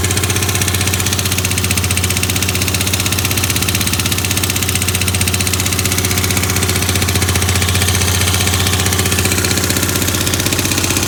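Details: Yamaha Grand Majesty SG15 scooter, 30,000 km, oil changed every 2,000 km; steady idle with a fast, even ticking about four per second that started suddenly; owner hopes it is an AIS pipe exhaust leak but suspects crank or head area.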